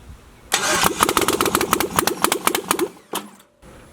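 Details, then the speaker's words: LS-swapped Jaguar XJ-S first start attempt, no headers: starter cranks evenly about four beats a second but never catches; no fuel because the fuel pump relay was unplugged. "fuel pump relay is not plugged in oh that'll help"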